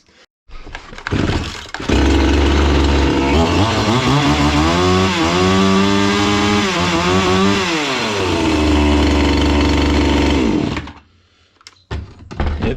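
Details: Chinese-engine brush cutter that previously would not start: the small two-stroke fires up, revs smoothly up and back down, then holds a steady, even idle with no misfire. It is running healthy.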